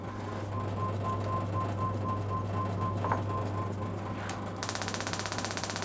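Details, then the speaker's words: Classic car distributor electronic ignition kit on a spark tester, about 12 kV with the gap widened: sharp, loud, crisp snaps about a dozen a second over a steady hum; strong, healthy spark. "let's see how big we can make the gap [Music] yep [Music] yep it's pretty loud as well"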